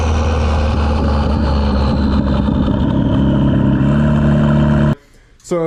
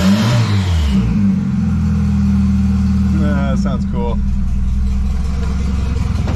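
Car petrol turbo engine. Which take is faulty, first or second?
first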